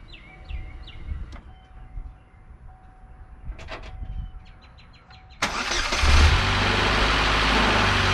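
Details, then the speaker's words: 2008 Pontiac Solstice, first start after timing chain and water pump replacement, on a lift: engine catches quickly and settles into a steady, even idle with no rattle; healthy start, repair successful. "That sounds awesome. Okay, that seems like a success."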